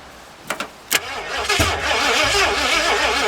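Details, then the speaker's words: 1981 Ford Mustang 5.0, parked since 1996, on a possibly weak battery, rust possibly not giving 12 volts to the distributor; a few clicks then uneven labouring cranking that never catches, later replaced battery: cranks but will not start. "Quite a bit of rust on that. Might be not giving me 12 good volts to the distributor. It's close."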